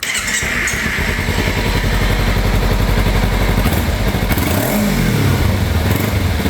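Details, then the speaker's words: Kawasaki Ninja 300 (2013 to possibly 2017) after throttle body replacement, which previously wouldn't pass 3,000–4,000 rpm and ran sluggish: crisp, even twin note climbing cleanly on a blip and settling smoothly; full power restored. "So as you can see there, we finally got full power back on this bike."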